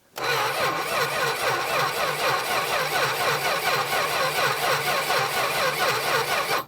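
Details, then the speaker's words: 1966 Plymouth Barracuda Formula S engine, sat for decades; steady cranking several seconds with no firing after gas began pouring from the carburetor base plate; owner suspects severe flooding, or possibly lost spark. "if we didn't lose spark I think it's just supremely flooded right now because it started pouring gas out of the uh base plate somewhere it's just dumping"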